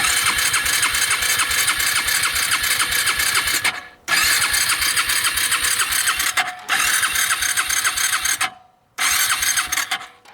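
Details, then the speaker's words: Suzuki Ozark 250 quad bought with a reportedly locked-up engine; electric start cranks at about three and a half chugs a second in bursts but never catches. There is no spark; owner suspects the CDI and is also checking fuses and the neutral switch. "sounds fun to me so uh but um no spark"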